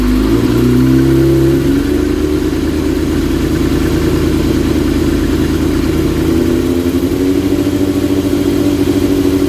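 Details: 2005 Yamaha R6 inline-four, about 19,000 miles, idling: pitch wanders up and down with a lumpy, uneven beat between blips, surging and stumbling on a misfire, sometimes sounding like a V-twin ("Harley Davidson" effect).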